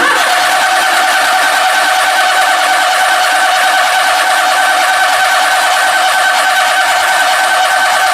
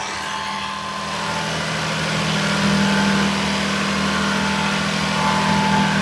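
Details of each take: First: Daihatsu S210P mini truck engine after new OEM camshaft and phaser, sat two years, fuel relay pulled: steady starter whir with even compression beats about three a second, never catches; cranked without fuel to build oil pressure and lubricate top end. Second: Daihatsu S210P mini truck engine after new OEM camshaft and phaser, first run in two years, 180 psi compression, alternator not running: revs rise smoothly and hold a strong, even note, no knocks or misses; healthy.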